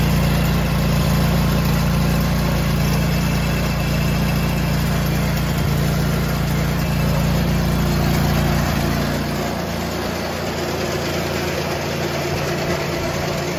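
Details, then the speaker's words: John Deere tractor with snowthrower, after fixing a worn, bent-down metal piece that made the drive belt pop off every few seconds: steady even engine drone, no slapping or squeal; belt stays on, running normally. "now that we have that solved and the belt's staying on, I can finally get my shower and go to bed."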